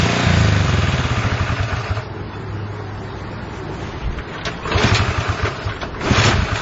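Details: Honda CL70 small single thumps unevenly, sagging then surging, never settling to a steady idle; likely fuel mixture problem after jet changes 73 to 75 and 38 to 40.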